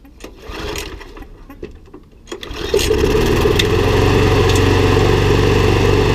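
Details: Briggs & Stratton Sovereign mower, non-runner unused over two years, after little work: a few pull-start rattles, then it catches and settles into an even, steady run with no misses; running healthy.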